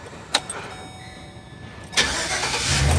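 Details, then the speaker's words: 2008 GMC Savana shop van after starter replacement for a grinding noise: short clean crank, engine catches and settles into steady idle with no starter grinding; normal crank and start after repair. "ooh nice and quiet"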